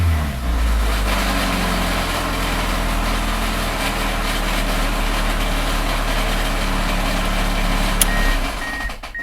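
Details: Car engine revved between 1,000 and 3,000 rpm with a rough knocking, grinding undertone that eases as revs climb, going away almost completely above about 2,000 rpm.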